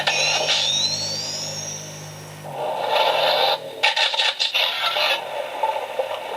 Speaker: so two things happened there the first one it flashed to say it saw the motor and it goes like i'm gonna try to change the mode you heard it click and then it actually did change the mode you can hear the slime blower now so that means that also works